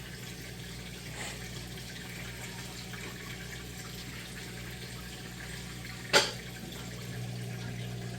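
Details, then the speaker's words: Amana top-load washer switching from wash to rinse cycle: steady low drain-pump hum with water rushing through, even and fast; normal drain. "Now moving into the rinse cycle. Just draining all that water out there. Nice and fast."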